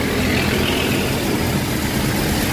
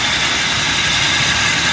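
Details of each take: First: Toyota Hilux Revo after belt tensioner pulley bearing replaced (previously grinding near power steering): smooth steady idle with even low rumble, no grinding from the belt side; tensioner now healthy, normal idle. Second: Toyota Revo gasoline distributor-type engine, fairly new, running warm; constant rough gritty whirr like a dry bearing from power steering belt tensioner pulley; bearing worn loose, pulley and bearing replaced.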